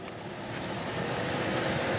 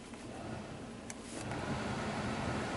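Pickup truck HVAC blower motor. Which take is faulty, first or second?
second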